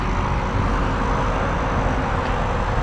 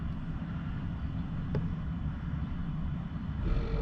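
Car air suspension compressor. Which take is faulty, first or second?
second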